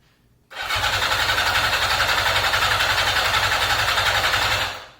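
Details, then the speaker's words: 1982 Yamaha XJ550 Maxim that sat 25 years, carbs mostly rebuilt and oil in the cylinders, cranked with the clutch in: steady, fast starter cranking with compression but never catching, no spark seen. Cranking no-start, no spark. "Turns over. Sounds like it's got compression. It does have 4 plugs in it. I didn't see any spark. Not a big surprise there."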